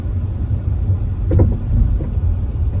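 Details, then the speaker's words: 2012 Hyundai Elantra Limited driven at low speed over bumps: low road rumble with short crunchy knocks; worn sway bar end links, replaced to fix; car had just passed safety inspection. "Crunch, crunch. Crunch, crunch. Very crunchy. Seems to be at low speeds and over bumps of any kind."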